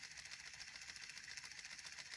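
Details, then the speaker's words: 3D-printed pulse motor with a new rotor, driven by a Hall-sensor circuit: fast, uneven ticking about twelve times a second with a surging beat. The circuit energizes the coil so strongly that the rotor rocks and runs choppy. "this is a really nice circuit it's a little choppy because the hall circuit really energizes that coil gets it rocking"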